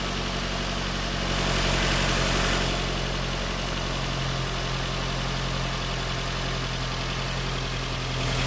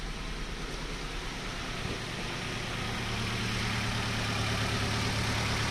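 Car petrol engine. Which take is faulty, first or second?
second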